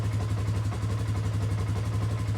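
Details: 2019 Polaris Sportsman 570 X2 single-cylinder, first start after a top-end rebuild and fresh oil: smooth, even low thump with a steady beat and no knocks or rattles; normal idle.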